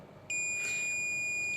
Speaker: अब बीप सुन पा रहे हैं तो इसका मतलब क्या है, ये इंडक्टर बिल्कुल ठीक है।